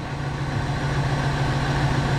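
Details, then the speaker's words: 1999 Ford F250 6.8 V10 four-wheel drive after a spark plug hole re-tap: low uneven idle with a slight lumpy beat, possibly a misfire. The shake fades as the engine warms. Owner thinks the other nine plugs need replacing. "i think we're at a point we need to do nine more spark plugs as it's warming up it's going away"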